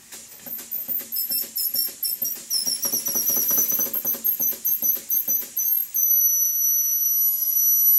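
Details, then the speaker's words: Restored Stuart beam engine run on compressed air, valve timing not yet reset: fast light knocking about three a second plus high whistling squeal of air blowing past the steam chest gasket; steam chest cover nuts then tightened. "the funny noise you can hear the squeaking noise is air blowing past the gasket"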